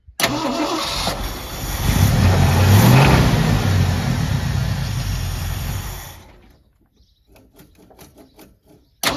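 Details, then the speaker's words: 1979 Ford F150 Custom with the carburetor it came with and new starter solenoid: engine catches, runs rough, revs a few seconds then sags and dies; stalls after start, owner suspects vacuum leaks from old cracked vacuum caps. "as you guys can see, it does run, but it does stall out. I believe the cause of that are some vacuum leaks back here."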